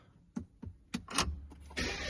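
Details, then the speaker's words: Peugeot PureTech engine (described as 1.5 diesel, 5008/3008) after wet belt replacement and oil strainer pickup clean for low oil pressure warnings: a few quick cranking clicks, then it catches and settles into a steady even run, a clean normal start. "But for now, she's a running. She is running. Everything's looking good."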